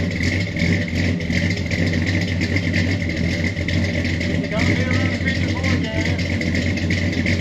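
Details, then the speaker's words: 1985 Chevy Suburban with freshly rebuilt engine fitted with a mild camshaft, new exhaust and FlowMaster mufflers, heard from the rear: deep burble at idle with slight uneven lope, no knocks or misses; normal idle with mild cam lope. "Now that's a thump stick. Action-packed thump stick."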